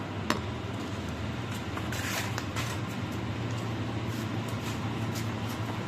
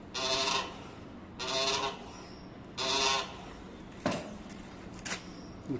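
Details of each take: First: Motorcycle Pro-Link rear suspension linkage after replacing water-damaged dry bushings with new ones greased with lithium grease; worked through its travel, only soft handling sounds, no creak or squeak, noise gone. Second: Yamaha/Honda motorcycle Pro-Link rear suspension: squeak repeating about every 1.5 seconds as the rear is worked; linkage bushings running dry after water entered the shaft, replaced with new bushings.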